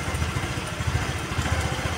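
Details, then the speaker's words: Honda Vario 110 (KVB) carburetor scooter, rpm staying high after throttle release and hunting: idle thumps unevenly in lumpy pulses that sag and recover; carburetor setting incorrect, with a mis-set air screw and faulty auto choke. "Tadi digas dia enggak enggak mau mati, cuman RPM-nya malah tinggi. Nah, ini berarti menandakan bahwasanya di bagian karburator dia ee kurang ini kurang tepat untuk settingannya."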